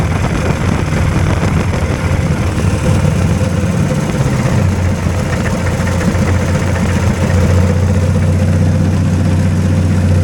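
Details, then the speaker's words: Two-cylinder hovercraft engine running on two cylinders, held at a deliberately high idle because the drive is pulling a fan load constantly; steady, even, noisy drone, both cylinders pulling alike with no miss, running balanced. "yeah they're noisy in there it's got a pretty high idle and I'm got to leave it at high idle because it doesn't uh it's pulling a load there all the time"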